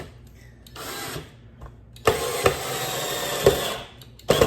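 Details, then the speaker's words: Cordless drill driving screws into pre-drilled 2x3 and 1x4 wood for mortar racks, motor whining strained and sluggish under load as the low battery runs flat and dies mid-job; the drill is bogging on a low battery. "Holes pre-drilled, and I can sense my battery might be running a little bit low, so if it runs out while I'm in the middle of the recording, I do have a backup."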